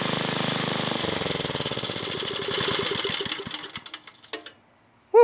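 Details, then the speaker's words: 1980s Onan generator on choke during revival attempts: chugs briefly with slow, spread-apart firing pulses and dies within about four seconds; owner can't get it to run for long, cause not yet found. "well, so far, you know, we haven't been fully successful. I can't get it to run for a long time."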